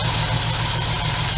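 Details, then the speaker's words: 1965 Chevrolet C-10 with LS swap, P0300, after new coils, wires, plugs and injectors: low idle with uneven beat and recurring hitch, hesitating off idle; misfire later traced to leaking intake manifold gaskets causing a vacuum leak. "Still hearing some missing, but let me let it run for a second. I don't think that made a difference."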